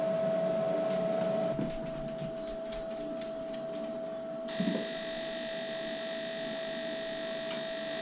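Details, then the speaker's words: Off-grid paraffin (heating oil) heater powered from a solar inverter, warming up: a steady whine, then light regular ticks and a rush of air as the burner lights. The glow plug cycles periodically for good combustion, a normal ignition cycle. "so while it's um heating up every so often it's um it's turned on the glow plug to make sure that there's a good combustion of the heating oil in the heater"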